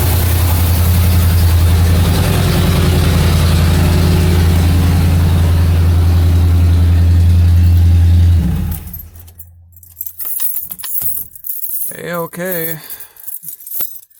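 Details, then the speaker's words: 1977 Mercury Marquis straight-piped V8 running after carburetor fuel line replacement: loud, deep, even rumble with steady firing, no misses, then shut off; runs smoothly with no leaks; accelerator pump repair still pending. "it's gonna be [ __ ] loud because it's a straight pipe car"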